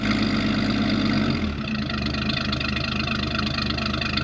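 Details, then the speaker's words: 1972 Ford F-100 with the 240 six and automatic, parked in a barn since 1995 and revived, idling while warming toward operating temperature. Even, steady idle with no knocks or misses, oil pressure good: normal, healthy running. "good condensation condensation tells you that you have a healthy running engine smooth as this thing is there is no doubt it is running healthy"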